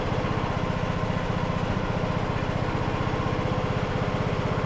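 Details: Craftsman LT2000 riding mower, almost 20 years old, new carburetor, choke on, temporary incorrect air filter: it cranks, catches and settles into a steady, even chuff of about four beats a second with no misfire. An earlier low-rpm pop was blamed on the missing filter.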